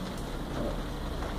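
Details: Tanquinho (twin-tub washer) motor with no capacitor fitted: stopped when powered, runs with steady low hum only after a hand spin; it cannot start itself, pointing to the start capacitor and auxiliary winding.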